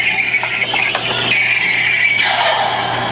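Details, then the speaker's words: Espresso machine steam wand purged ("burped") before steaming milk to clear residual: a sharp hissy steam burst of a couple of seconds tapering off cleanly; normal purge. "you're going to again you're going to burp it get any residual out of there and then do that"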